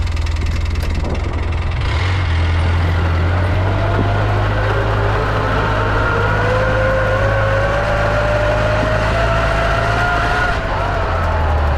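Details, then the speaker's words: 2011 Polaris Ranger 800 side-by-side on a test drive in high range: whining tone climbing with road speed over loud engine drone. A possible missing gear tooth is heard; the transaxle was found beyond repair and the unit was replaced. "fairly noisy that's high gear High rain you can actually hear what sounds like possibly a tooth missing out of something"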